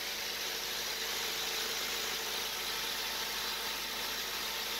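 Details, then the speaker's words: Honda del Sol after starter switch, ground wire, radiator fan and distributor cap work, first runs: starts around 3,500–4,000 rpm then settles near 1,500; steady, even idle with no sputter, misses or knocking, though not tested at high RPM. "Sounds good. Yeah, I don't really hear any issues. It's not sputtering out."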